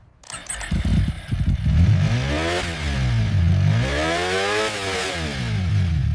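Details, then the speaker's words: Abandoned Ecosse ES1 superbike after full restoration with rebuilt engine, first start: it catches after a few stumbling turns, then revs climb and fall smoothly twice with a clean, even exhaust note; healthy running. "IT'S RUNNING. WE DID IT, GENTLEMEN."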